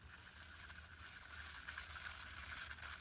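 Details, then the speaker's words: Bass Pro Shops Tourney Special reel after swapping to unlubricated ceramic bearings, spool spinning: loud, even whirring hiss with a thin steady high note; normal dry ceramic bearing noise, faster than stock. "really loud like the a big seven dating this because those bearings are made the balls inside the bearings are ceramic and they're not lubricated so they run dry and make noise but they are much faster"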